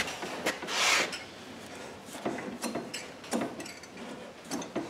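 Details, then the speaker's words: Used Razor Ground Force go-kart stored outdoors, pushed by hand with brake off: uneven scraping and rasping as a rear wheel drags; owner suspects loosening bearings, though brake rubbing also heard; cause not confirmed. "he's rubbing a little bit but the brake ain't on is it seems like it's bearings they're starting to come a little loose"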